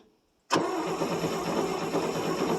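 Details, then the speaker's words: 1959 International B120 4x4 pickup, unstarted about five years, gas in carb, cold; starter cranks at steady speed but never catches; no spark, points flick failed, later found distributor wire not attached to coil. "crank it okay turn it off old flick ain't working"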